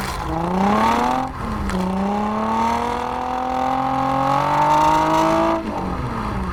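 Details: Nissan 350Z VQ35DE V6 with DIY cat-delete exhaust, GoPro recording: pulls smoothly through two gear shifts, deep tone climbing evenly with revs, no rattles or drone; healthy exhaust.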